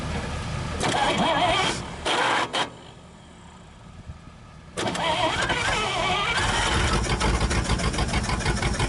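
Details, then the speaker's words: 1962 Dodge 100 at first start in 25 years: a rough start, then a light quick ticking of about three per second on one side over the idle. A rocker arm or pushrod was suspected, later a stuck lifter; no rod knock, little smoke. "ise, and it sounds like it's on this side. Like we may have a rocker arm off or a push rod or something."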